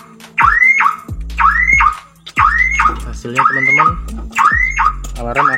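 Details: Daihatsu Ayla with a dead or faulty remote, door unlocked manually with the key: alarm sounds continuously, a rising whooping siren about once a second, and the engine will not start.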